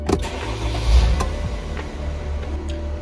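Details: 2012 Dodge Sprinter diesel with intermittent no-start from a failing electronic steering lock: after a bypass emulator is connected, brief crank, then it catches and settles into a low, even diesel idle; normal crank and start.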